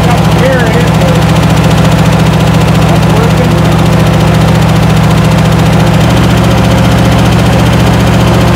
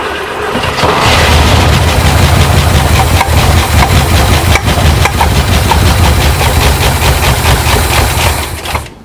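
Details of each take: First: 1972 International Scout II first start after five or six years sitting: steady, even idle with a regular low beat, about three and a half pulses a second, no misses or knocks; running smoothly. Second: 1972 International Scout II, not started in five or six years, cranks steadily for about eight seconds but never catches. Fuel was poured into the carburetor, but fuel has not yet reached the fuel pump, so it is starved of fuel.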